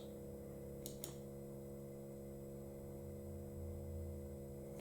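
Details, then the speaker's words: Warco WM180 lathe power feed motor, newly wired, running on the bench through forward, reverse and speed changes: smooth, steady, near-silent low hum with table vibration and a couple of handling clicks; healthy. "this motor is that silent when you pick it up can't hear it it's only vibration on the table so anybody who's going to mount this i would match on a bit of a cushion um because it's absolutely it's just humming away absolutely brilliant"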